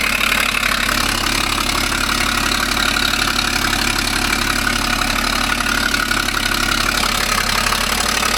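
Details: 2012 Ford Falcon FG XR6 Turbo at idle: fast sharp puffing tick about three per second over the engine, an exhaust leak.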